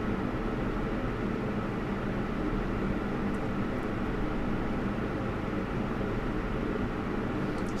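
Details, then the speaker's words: Lian Li 217 INF PC case, CPU radiator fans at 100% speed: a steady, even rush of air through the radiator with no whistle or high-pitched whine; a normal, healthy fan sound. "as we can see, the sound is normal. I can call it a normal fan sound. You know, you you actually hear the wind going through the radiator and so on. There is no high-pitched sound or something like that."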